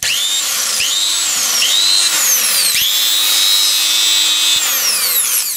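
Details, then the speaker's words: Angle grinder reassembled with its known-good armature after a light-bulb armature test, brushes refitted; the motor spins up with a clean rising whine on each trigger pull, then holds a steady high pitch; running healthy. "It's a completely different matter. Let's also connect through the light bulb. The sound is even on each lamella."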